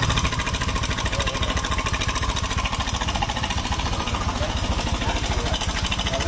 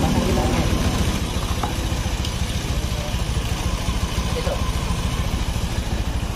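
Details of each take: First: 2017–2018 Honda Scoopy scooter whose engine sounds rough and noisy, run at idle with the CVT parts removed: a fast, even metallic rattle at three to four beats a second, traced to the engine's cam chain tensioner, not the CVT. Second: Honda Scoopy scooter, about 2017–2018, after repair of a noisy, rough-running engine: soft, steady idle with an even beat and no rattle or ticking from the top end.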